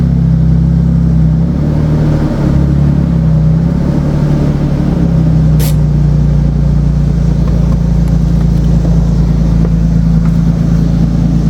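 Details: 2007 Nissan Xterra engine running, hood open, after replacing the fan clutch (old one was bad): heavy steady low drone and deep hum, loud like an 18-wheeler, unchanged by the new clutch; source still unidentified. Loud roaring noise.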